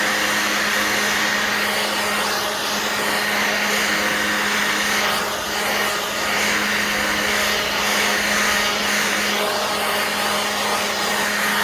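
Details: Black+Decker 20V cordless blower/sweeper running on a new battery: a strong, steady motor whirr with a constant hum and rushing air, no surging or fading; the blower runs properly at full power.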